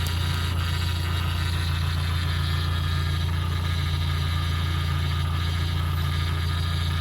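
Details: First-gen Toyota 4Runner 22RE just rebuilt, manifold coating burning off, good oil pressure: steady, even low rumble with a smooth regular beat and no knocks or ticks; normal idle.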